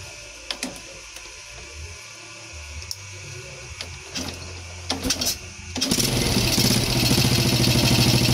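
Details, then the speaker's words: Yamaha Jupiter Z1/Z Robot engine at first start after a full rebuild, with the air filter hose not yet fitted: clicks, then a steady, even idle judged decent though not 100%. Some extra noise comes from the missing hose. "Oke jadi untuk suaranya seperti itu ya teman-teman kita bisa sama-sama dengar Oke jadi untuk di bagian mesin Kalau menurut saya pribadi ya ini sudah lumayan Meskipun tidak 100% ya"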